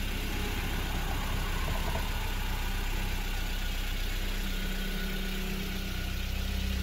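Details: 1990 Isuzu Impulse XS after fixing an exhaust leak first suspected to be a simple gasket: smooth even idle, steady low rumble with no puffing or ticking from the exhaust; normal idle.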